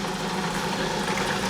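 Steady, even hum with water splashing and trickling over the grid and no knocks or rattles; the pump is circulating normally.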